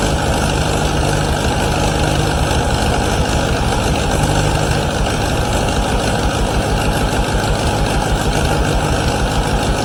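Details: 1953 Allis Chalmers WD45 tractor after its first start following a rebuild: heavy, steady low rumble with an even firing rhythm and no knocks or ticks. It runs normally, though coolant leaks at the manifold studs and the head gasket.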